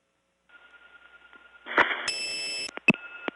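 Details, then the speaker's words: Early-1979 Gainesville, GA step tandem mapping, Flowery Branch test code 104: a loud steady tone with a higher pitch over switching clicks runs on and on; a broken 104 test that went off hook. "yikes that's loud 104 is a broken 104 test it begins with this tone but not supposed to go on and on like that"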